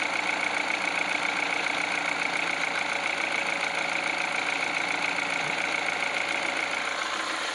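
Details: Peugeot 308 at cold idle: the cold-start crackle came from the water pump idler/tensioner, not the engine, and stopped once it was greased; the 6PK 906 belt had been replaced. Even idle, light steady patter, faint high whistle, no harsh rattle; healthy.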